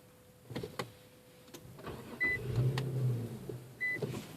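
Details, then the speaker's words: M37 tried for the fifth time: clicks and chimes, engine catches about a second then dies, all dash lights on; repeatedly starts then immediately stalls. "this would be the fifth time I'm trying to start my car and it just kills and all the lights you can see light up"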